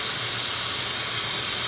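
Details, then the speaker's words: 1979 Toyota FJ40 Land Cruiser, engine off, exhaust pressurised with a vacuum: steady high airy hiss at the manifold gasket, found with soapy water; owner suspected the exhaust manifold because it pops when accelerating under load. "just the way this thing pops when I accelerate under a load I'm assuming it's somewhere in the exhaust manifold"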